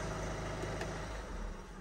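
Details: Ford Fiesta Vignale Mk8 1.5 diesel after timing belt and water pump replacement, fully reassembled, codes cleared, no engine light, running 10 minutes on engine oil flush before drain. Smooth, even low clatter, no knocks or misfires, then winds down; healthy idle.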